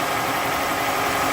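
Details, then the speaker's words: 2002 Toyota Camry at operating temperature, fans on, idling with oil filler cap off: harsh rushing hiss pulsing from the crankcase with each firing; significant head gasket leak, coolant bubbling in radiator. "I've got a pretty significant leak in the head gasket now. So much so that the coolant just bubbles in the radiator."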